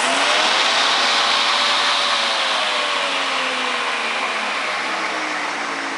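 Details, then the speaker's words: Homemade electric lawnmower, DC permanent magnet motor on four 12V 12Ah AGM batteries (48V, reading 52.8V): smooth, even high hum drifting slightly with speed, no knocks or rubbing; normal running. "that sounds good I'm just going to that out there that sounds very nice much better than the old mower"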